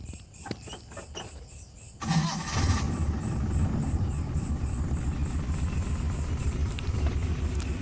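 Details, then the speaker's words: Suzuki Carry Extra engine shaking and using excess fuel: starts easily, then idles lumpy and uneven with recurring stumbles; suspected dead spark plug or points gap too small, a cylinder misfiring. "kemungkinan ini busi mati atau platina kurang renggang teman-teman"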